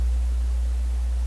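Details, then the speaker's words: Loud, steady low mains hum in a vacuum tube PA amplifier during hum troubleshooting, with the input grid lead reaching ground through a 100K resistor; the hum level changes as the volume control's resistance changes. Source still unfound. "So the 100K resistor, that's the level of hum you get. I'm assuming you can still hear it. There, now you can hear it."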